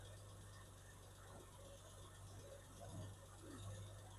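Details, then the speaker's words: 1969 Triumph Vitesse during restoration, first start in about two years, carbs not yet balanced: quiet, steady low hum at tickover, dead smooth, not tappy, no top-end ticking; engine idling healthy. "But it sounds really nice. It's not tappy, really."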